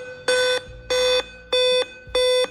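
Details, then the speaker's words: Dell laptop at power-on: five loud, evenly spaced short beeps, a pause, then the same five beeps repeating, a code tied to the CMOS battery or system clock chip. "beeps in a row with a loud sound. After taking a break, the same 5 short beeps continue in the same way, and this continues on the computer."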